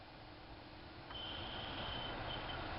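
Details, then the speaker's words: 2000–2007 Ford Focus cabin blower motor with a thin, wavering squeak over the fan hum. Worst on setting 1, gone on 4. Cause was dry bushings, fixed by oiling them. "squeaking. Drives me bonkers. Goes away on, that's setting 2, 3. Goes away on 4. Really gets obnoxious on 1."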